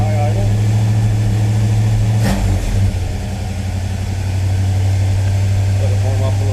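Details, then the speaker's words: 1957 Chevy Bel Air crate V8 after a finished restoration, fired up cold: a deep, steady burble held at a raised choke high idle while it warms, with even firing and no knocks or misses. Healthy cold high idle. "We're going to fire it up. Fire's right up. It's got the choke"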